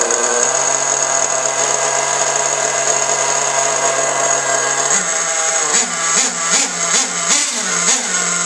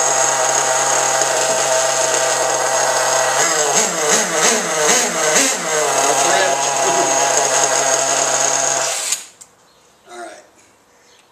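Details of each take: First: Losi 810 nitro RC buggy engine screaming at high revs, then revs bob instead of dying when the exhaust stinger is blocked; owner traces a suspected air leak to the fuel tank cap seal in the pressure system. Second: Losi 810 nitro RC buggy engine, suspected air leak in fuel system, low speed needle set far from flush: high raspy buzz with uneven throttle blips, then cut off; runs very rich, spraying fuel, before tuning.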